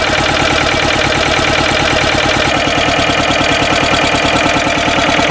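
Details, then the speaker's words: Ruggerini twin-cylinder air-cooled vertical-shaft diesel in a Westwood lawn tractor, previously hydrolocked, running after new starter motor and fresh gaskets: even, rapid diesel knock with no misses, settling into a clean, steady idle; normal idle. "So as you saw, I did check the oil level between idling it for a couple of minutes and actually driving it and revving it up."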